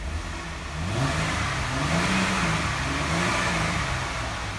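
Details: 2012 Jeep Wrangler 3.6 Pentastar after repairing the broken cylinder 3 coil connector (P0303 misfire), misfire counters at zero: engine climbs and falls smoothly through revs with no stumble or popping; healthy.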